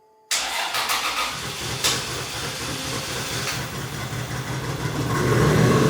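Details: 2JZ-swapped Toyota van, possibly old fuel, gas pedal not working: engine catches then climbs and holds high revs instead of idling; throttle suspected stuck on.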